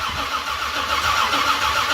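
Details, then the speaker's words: 1978 Ford Courier with 351 V8, double-pumper carburetor, on a newly fitted starter: steady cranking drone with no firing; no fuel reaching the carb, as the rear accelerator squirter isn't squirting. "and just like I thought there's no fuel this is a double pumper so it's real easy to see that rear squirter see it not squirting that tells us the story"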